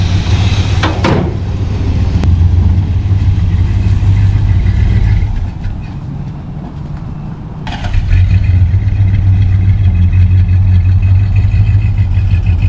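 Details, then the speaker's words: 1974 Plymouth Satellite Sebring Plus V8, first run after sitting 20 years, fixed by replacing a bad starter relay: deep, steady rumble that sags briefly then recovers and holds, running fine. "so I got it running after 20 years it ended up being really easy it was just the starter relay was bad"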